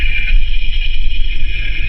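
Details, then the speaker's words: Ford Explorer with driveline whine, chassis ear sensor on the front differential: low steady rumble with only a faint light whine; front diff normal, rear differential found to be the noisy one. "so I mean you know the front diff might be a little noisy but you hear the difference from that rear diff really"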